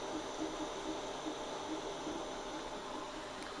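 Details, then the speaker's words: Mingda Rock 3 Pro 3D printer (320x320x400mm), newly assembled, printing a calibration cat after bed leveling: steady fan hiss with soft irregular stepper chirps, no grinding or knocking; very quiet apart from the fan, normal printing. "but the printer is actually very quiet other than the fan i can hear the fan noise but uh that's pretty much it"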